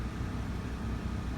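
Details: RV Coleman Mach 15 (15,000 BTU) air conditioner with a Supco SPP6 hard start capacitor, run on a generator: an even, steady drone as the compressor kicks in. Voltage dips briefly, then settles around 116. Normal running under load.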